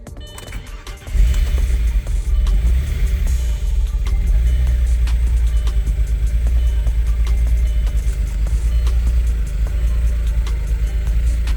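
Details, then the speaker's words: Stage 3 Audi Allroad at first start after sitting about two years, fuel system reworked, not revved: uneven hunting idle with lumpy low beat from an unhooked intake hose; vacuum leak, running improves once connected. "something sounds funny oh it's not like there's a hose not hooked up let's get the intake hose there's an intake hose this is how this car ran when I first hooked it up"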